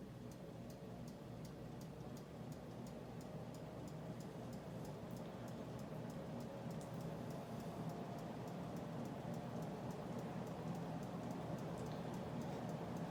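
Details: 1920s General Electric Type AH Form V2 52-inch antique ceiling fan on high speed, run without oil: faint light tick about three times a second over motor hum and room drone; rotor brushing the stator.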